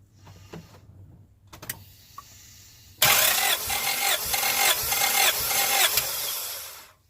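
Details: 1996 Honda Prelude Si, compression test: starter cranks at an even, steady beat of about three pulses a second with no stumbles; cylinder reads about 180, sounds healthy.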